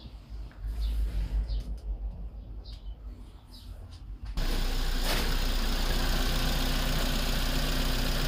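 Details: Engine after a P0300/P0304 misfire repair: brief startup, then it settles into a steady, even idle with no stumble or skipped beats. Normal idle.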